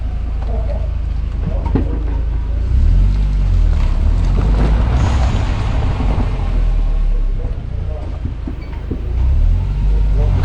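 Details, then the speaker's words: Car with new brake pads after the rear brake squeal fix. A test drive with repeated stops gives only a steady low road and tyre rumble, with no squeal, scrape or grind. "Puede apreciar, ya no se genera ningún sonido, ya no se genera ningún ruido."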